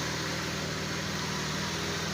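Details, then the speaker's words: After repair, with fuel pump low pressure addressed by a modified pressure regulator, the engine that previously wouldn't start now runs: steady, even idle with a smooth low hum, no misses or stumbles. "makina dati ayaw mandar, so ngayon mandar na."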